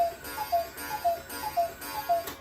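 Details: German Bachmaier & Klemmer cuckoo clock, believed made late 1950s to early 1960s, back on the wall after repair and calling on schedule. A clear two-note call repeating about every half second over a soft tick, even and steady; normal.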